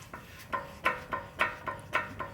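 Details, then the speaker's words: 2005 Toyota Tacoma Pre-Runner SR5 2WD, driver's side: sharp metallic clacks about three a second as brake pads rattle inside the caliper, anti-rattle spring broken/missing. "do you hear that these are actually the brake pads rattling inside of that caliper"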